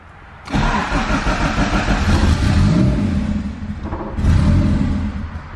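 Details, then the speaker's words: EF Honda Civic hatch with built turbo B16 engine: engine fires, sags and fades, picks up with throttle held near 1500 rpm; won't hold idle alone, idle air control valve raising idle. "Yeah, it's dying. I'm gonna hover my foot on the gas to get it to idle."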